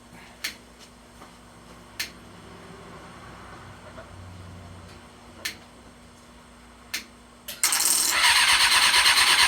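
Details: Buggy engine first start after hooking up the wiring harness and battery, on old gas with a possibly weak battery. A few clicks and cranking tries, then it catches with a sharp raspy puffing bark: an exhaust leak from a stripped, loose stud on the left exhaust.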